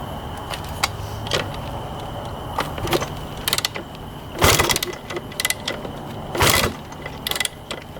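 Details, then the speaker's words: 1991 Honda CR250 two-stroke dirt bike kicked over with fuel and choke on: hard kick-through clunks and ratcheting, not a single pop or backfire; owner suspects flooding or no spark. "um it's either flooded out or it's not getting spark it sounds like cuz it's not even popping over backfiring nothing"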